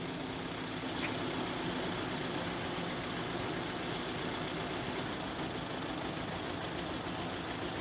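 Engine running with a lumpy, uneven beat under a steady hiss; one cylinder is dead from low compression.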